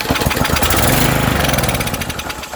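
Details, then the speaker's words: Troy-Bilt edger 25B-554M711, Briggs & Stratton 500e engine 09P602, after carb cleaner sprayed in: catches with a few ragged pops, runs roughly, then dies; not getting fuel, carburetor to be replaced. "okay it's not getting gas so we're just going to change the carburetor"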